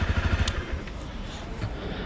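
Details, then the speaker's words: Used motorcycle with about 15,493 km, idling during a pre-purchase check: even single-cylinder thumping with steady pulses, no clatter or misses; proper working order, no engine block problem heard. "There is a proper working order. Let's hear it from here. There's no trouble here. I understand that there is no problem with the engine block."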